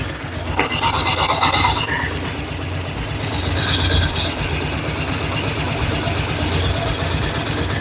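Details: 2009 Bajaj Pulsar motorcycle engine, cold, idling, mic held close: fast light tappet ticking over the low thrum from loose valve clearance; tappet adjustment by mechanic follows.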